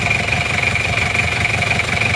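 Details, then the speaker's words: Isuzu Panther Miyabi diesel after engine overhaul, hot, idling steady and even with a crisp, regular clatter and a faint high tone; no smoke from the oil filler cap or exhaust; normal diesel idle. "enak ya suara mesinnya e mesin panas suaranya bunyinya tambah renyah"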